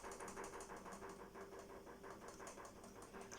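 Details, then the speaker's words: LG FH2B8WDS7 washing machine (bought 2016) during spin: hard, regular knocking about three times a second over the spin whir, stops when pressing on the side; fasteners, wires and shock struts checked fine, owner suspects a tub spring or its mount. "Но при отжиме так стучит жестко, что просто пипец. Как будто вот здесь вот такое ощущение, что вот так вот стучат, вот так вот кабелем."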